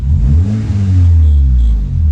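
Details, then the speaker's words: 2012 Honda Civic after replacing wrong engine mount with correct hydraulic mount, muffler broken: loud deep exhaust rising and falling smoothly through revs, no rattle, vibration or shudder inside the cabin; engine runs clean. "nice and smooth inside of here no no rattles no vibrations no shaking nothing"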